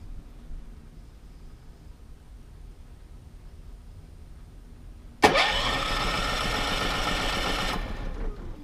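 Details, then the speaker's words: RV portable generator, about three years old, not run for a while after running out of gas, started by remote button; auto-choke, retries possibly up to five times: sudden crank and catch into hard fast run fading after seconds, one automatic restart attempt. "will automatically restart itself I think up to five times and it'll choke itself so you don't have to worry about that"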